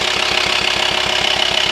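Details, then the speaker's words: VW T5 Transporter 2.5 TDI diesel idling with a fast, even knocking pulse about fourteen beats a second, felt as vibration at the air box hose; diagnosed worn camshaft and lifters/tappets, holes worn through, big repair. "so unfortunately we have just diagnosed A Worn chem shift and tap it so it's kind of a big job if you have this problem yeah now you know it"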